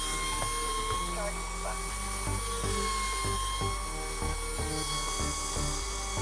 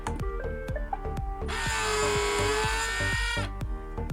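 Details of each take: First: iRobot Roomba 560 in diagnostic test mode for the suction motor: steady high-pitched whir holding even speed with no squeal or rattle; suction motor runs smoothly. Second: Remanufactured iRobot Roomba 560 robot vacuum: after clicks, a shrill steady squeal rises and holds about two seconds from the bin's suction motor, whose dry, dirty shaft bearing is not oiled; fix is cleaning and oiling the motor.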